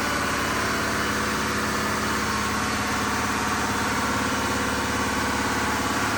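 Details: Diesel fire pump engine on its weekly half-hour test, isolation valve closed so it runs at churn, with a steady, even drone at constant speed and no knocks or surging; running normally.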